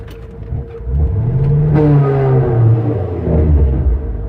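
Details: 2002 Corvette C5 Z06 gives a deep, rough driveline groan on clutch release, even with the tire not moving; the harmonics change with rpm, and there is no noise above 5 mph. Cause unknown.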